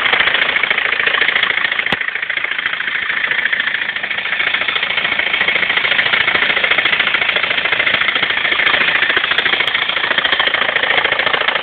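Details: BMW 320d diesel at idle: a steady, rhythmic clatter of about three or four beats a second over the running noise. Abnormal engine noise, cause unknown and asked about by the owner.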